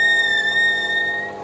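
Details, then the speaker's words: Optimum T2506 lathe boring polyethylene with a long-stick-out boring bar: a steady high squeak near two kilohertz as the tool tip buries in the bottom of the hole, fading as the tool backs off. "in fact one of the biggest problems with cutting polyethylene is that it melts that squeak you can hear is when I bury the"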